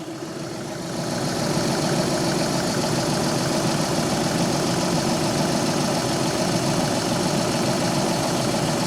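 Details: VW Polo 6R 1.2 TDI after oil filter cooler replacement, refilled with oil and coolant and warming up to check for leaks: steady, even idle with its usual light diesel clatter, nothing irregular; engine running fine.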